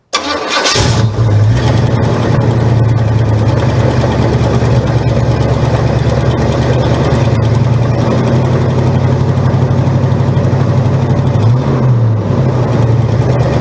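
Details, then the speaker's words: 1971 Buick Gran Sport with a 1973 Buick 455 bored 30 over to 462 ci, at idle: a steady, lumpy V8 idle with a faint repeating knock underneath; suspected loose flex plate/torque converter bolts, to be checked on a jack. "so we're going to jack it up and then ideally once we jack it up the torque converter bolts or the flex plate bolts are loose so figure it out go from there"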